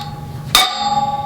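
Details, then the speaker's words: 2016 Honda CB500F front wheel, new OEM wheel bearing driven in by socket on the outer race: a single sharp hammer strike followed by a clear, lingering metallic ring, showing the bearing is fully seated in its bore. "hear that ring that ring sound that's seated all the way right"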